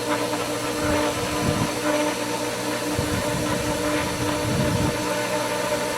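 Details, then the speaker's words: Pool pump after winterization, opening the skimmer valve too fast: steady hum under uneven hissing and gurgling surges as it takes in little water and a lot of air through the suction line, risking lost prime. "Remember, as little water as it is taking in, it's taking a lot more air."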